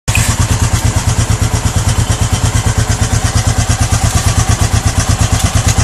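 Motorcycle idling low and lumpy with a heavy regular thump about three times a second; a clunk whose source is not yet known.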